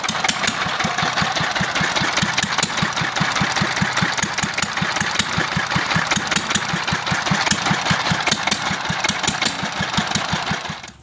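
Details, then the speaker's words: Restored old S1100 single-cylinder diesel running after rebuild (new valve): steady even chug about two and a half beats a second until shutdown; runs well, though its gears are noted as somewhat rough. "Alhamdulillah sekarang mesin dieselnya sudah mulai enak hidupnya ini ya"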